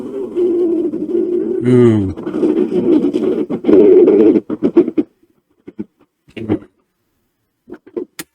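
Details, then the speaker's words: 1980s dual-cassette boom box before belt replacement, radio working fine: tape playback warbles and drags, pitch sagging and wavering, then stutters out, showing wow and flutter from a worn, slipping drive belt. "that's quite quite bad I'll see what the other side sounds like"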